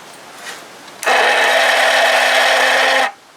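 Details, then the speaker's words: 1982 Johnson 25 hp outboard that bogs down (carb rebuilt, new coils and plugs), battery voltage fine. A steady electric whir for two seconds with no compression beats. The starter spins weakly and barely turns the engine over. "battery's fine it's got plenty of voltage stamp starter ain't got pretty good for some reason"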